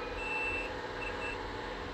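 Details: GMC Acadia with no crank, no start and no communication after transmission reinstall: a clear tester beep, one long then two short, over a low hum shows the CAN low wire to the DLC port is intact.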